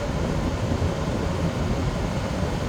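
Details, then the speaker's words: 8000 BTU Frigidaire window air conditioner, after a deep clean of clogged fins and a moldy fan, fan on high: constant low hum with a steady fan rush, no rattles or cycling; running normally with the compressor kicked in. "So whatever bugs were in there, I think it just kicked in. And the compressor kicked in."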